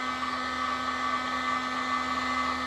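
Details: Heat gun running normally, heating heat-shrink tubing until the solder melts into the twisted wires for tailgate lights: smooth constant blower rush with a steady mid-pitched hum, no rattle or pitch wobble.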